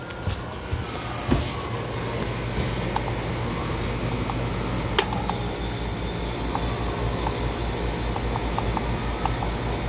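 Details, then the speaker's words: Carrier Humidimizer rooftop unit in cooling mode with a VFD blower and compressors cycling off: steady blower roar with a slow throb that swells and eases as the fan changes speed. "It sounds like my blower's changing speed too."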